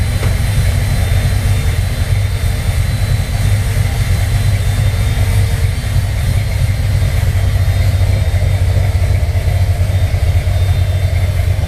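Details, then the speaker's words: 1968 Corvette with XL DFI distributor at idle, electric cooling fan kicking on: steady, low lumpy cam throb with an even fan whoosh; engine healthy. "And again, a nice purr of the cam."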